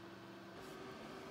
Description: A new Dell XPS 8930 computer system that is unusable due to the noise of the system.